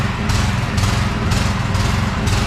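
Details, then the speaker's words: Small petrol pressure-washer engine at low throttle with the throttle turned down: uneven thumping, speed hunting about twice a second, and it stalls when idled fully down; the fix attempt starts at the air filter. "it's not until like I turn down the toe it will just constantly do that and um I understand to a certain level that is normal but it's not it's not supposed to be doing that it should be able to idle and keep an idle"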